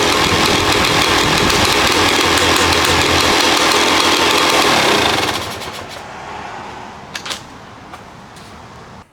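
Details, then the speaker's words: 2011 Yamaha YZ250 two-stroke, first start after top-end rebuild, idle screw turned out one full turn; crisp fast crackle at steady high idle for several seconds, then dies; fresh top end running cleanly. "Started up actually pretty quick. There was maybe 2 kicks, and then I think on the 3rd kick, it started to fire, but didn't stay running."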